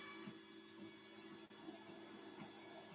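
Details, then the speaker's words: Anycubic Mega S 3D printer fitted with non-stock fans, running: loud, steady whirring drone with constant tone and hiss; linear bearings not audible; loud cooling fan noise. "i don't remember if my internet was this loud back when i had stock fans but i know for a fact this thing is loud now"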